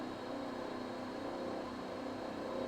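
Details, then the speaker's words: Vaillant boiler at 85–86°C flow, above its roughly 75°C maximum: steady fizzing, crackling kettle-like rumble with a faint high whistle. Kettling, suspected from a blocked heat-exchanger coil; improved after filter debris was removed, and absent on hot water. "I can hear it. I think it's still there. That's much better than it was though. We're at 85, 86 degrees. Noise is there."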